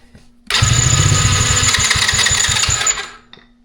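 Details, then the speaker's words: Old roadside four-wheeler (ATV) after adding fuel: starter whirs with compression pulses, engine fires briefly then dies; runs on ether and fuel seems to reach the carburetor, so cause unclear; cranks but will not start. "We have tried just about everything we can think of on this for the day. And it'll run on ether. But it seems like we have fuel to the carburetor."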